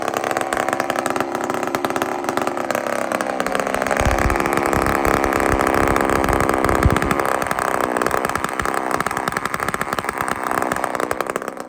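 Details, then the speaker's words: Chainsaw fed straight gas with no oil mixed in: it winds up to a thin, screaming high rev that holds and wavers at full throttle, lean over-revving. "friends Listen to How high this thing screams"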